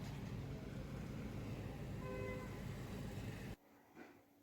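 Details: 2010 FAW V2 car at idle with check engine light and codes P0300, P0302, P0304: a low, lumpy rumble, about four uneven pulses a second that keep stumbling.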